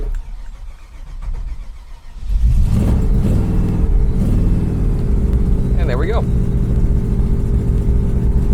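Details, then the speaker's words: Chevrolet Bel Air classic car with a V8 and tri-power carburetion without chokes, cold-started after sitting a week and a half, with a couple of throttle pumps; brief cranking, then a steady, even burble with a blip. Normal cold start and idle. "again this car sat for a week and a half untouched not running hot cold everything you can imagine and it was a couple pumps on the throttle you know crank it for just a few seconds there let it cycle and we're good to go"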